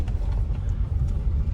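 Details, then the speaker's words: Citroën C4 Sébastien Loeb edition after new Bilstein shocks and with good drop links, turning on full lock over rough ground: only a low, even road rumble with no knocks. Suspension quiet, although the anti-roll bar D-bushes still vibrate slightly. "Let's try it on full lock. Suspension's quiet that way."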